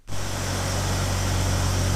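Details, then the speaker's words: 2000 BMW E46 with M52TU engine after clearing code P0340 (engine timing off or a bad intake cam sensor suspected); steady, even low idle with no misses, ticks or hunting; rescan shows no stored or pending codes; normal idle. "Okay, so we're back up and running here. Everything seems to be good."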